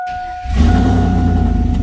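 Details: Chevrolet Silverado towed in as a no-crank no-start after replacement of a bad starter motor: dash chime, short crank, and the engine catches cleanly into a strong steady idle; starter and start healthy.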